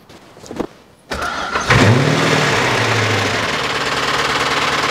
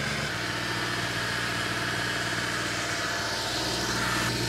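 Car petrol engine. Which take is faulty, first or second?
first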